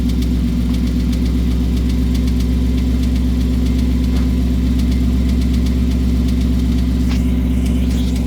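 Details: 2018 Ford Mustang GT V8 cold start on a near-90°F day: deep steady idle with a sharp regular knock about four times a second; now knocks both cold and hot, cause unknown.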